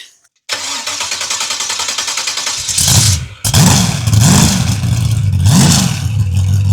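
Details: Freshly built 383 stroker V8 for a 1967 Chevy II Nova, first-ever start on a run stand, full exhaust heard: starter cranks about two seconds, catches, several throttle blips, deep rumble settling; healthy first start.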